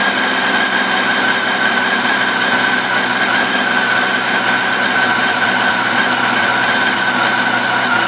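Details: 2004 FJR1300 at steady idle with a faint light tick over the engine hum; ticking present, source not pinned down.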